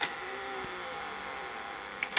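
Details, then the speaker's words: NEC VC-N70EU Beta HiFi VCR: thin whir labours about two seconds, then mechanical clicks as rewind stalls; loading gear starts threading then binds up and won't move. Owner believes it needs new capstan and loading motors; cause unconfirmed. "oh it's having trouble rewinding [Applause] okay and then it stops so we don't quite know what the problem is i do know that we're binding up that the the gear is not threading it starts to thread and then it just binds up and it won't lay it won't move"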